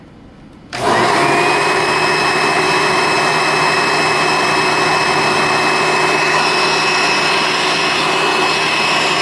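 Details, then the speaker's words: Hoover Elite upright vacuum dated February 1990 with HEPA Type A bag, wind-up and wind-down: steady high whine over a faint rough hum; motor bearings dry and worn, need repacking, not yet severe. "Does need some bearing work. I've heard worse, but it's really not that bad sounding by the ear."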